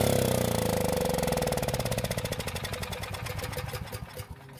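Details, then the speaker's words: Long-stored Generac generator with dark, likely bad fuel that may have clogged the carb jet: the single cylinder fires on fuel primed into the carb throat, then its beats slow and fade within seconds; ignition and compression fine, carb needs checking and bad gas draining. "so the engine started and ran on the fuel I put into the carb which means we have a working ignition system and enough compression from the engine that means we just need to check the car but for any issues and of course drain out any bad gasoline that might have been inside it"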